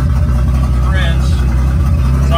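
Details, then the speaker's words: Datsun 280ZX just converted to sequential fuel injection on MegaSquirt with a new optical trigger wheel, tune not yet adjusted; fuel pump runs constantly. Low, steady rumble with an even beat, no misses or knocks: smooth normal idle. "that's running on sequential fuel injection so that's pretty awesome"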